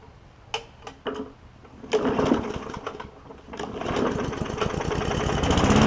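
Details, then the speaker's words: Bolens push mower with Briggs OHV engine (bought 2019), after valve adjustment fixing hard-pulling starter rope and cleanup: a few clanks, then even, steady rapid single-cylinder beat with no misses; running good. "So running good and ready to roll on to the next person, I suppose."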